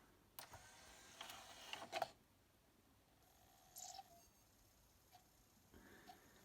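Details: Denon DN-2000F MkIII CD player after cleaning the laser lens: short bursts of motor whir as the tray slides out and draws the disc in, then quiet; loader runs smoothly.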